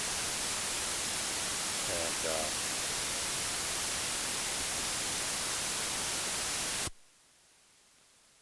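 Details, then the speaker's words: AC-2EX intercom connected to a 9er Systems USB interface: about seven seconds of loud, even static hiss, then near silence. The headset plugged in directly is clean; noise starts once the intercom is plugged in and persists with recording unplugged. Source unknown. "And now as soon as I plug in that phone crazy noise, not really sure why. And here. Let me see what happens if I unplug recording. You can see noise still goes crazy."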